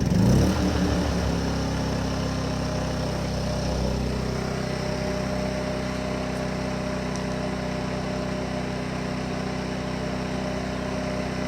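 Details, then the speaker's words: Champion 2500 W dual-fuel (propane/gasoline) inverter generator, brand new, very first start, running on propane in eco mode: steady, even low hum with no knocks or surging; started right up, normal idle. "Started right up though, pretty good."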